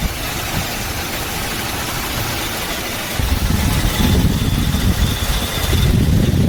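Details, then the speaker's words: Toyota Hilux 4x4 idling after start: rough rumble with a thin, high squealing chirp on top, from a bad belt tensioner pulley bearing; belt, compressor and steering pump checked fine. "Bearing आवाज कर रहा है किर किर किर करके अभी इसका बेल्ट उतार के देखना पड़ेगा"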